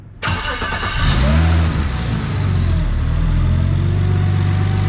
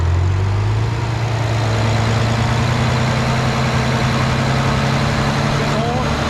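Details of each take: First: Stock BMW N54 after a compression test and misfire work, ignition reassembled and fuel pump reconnected. Cranks briefly, catches cleanly and settles into a smooth, even idle and revs; normal start and idle. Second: BMW N54 single-turbo petrol engine held just above idle while bleeding the cooling system, making an unfamiliar light uneven tick about four a second; owner suspects an exhaust or turbo manifold leak, unconfirmed.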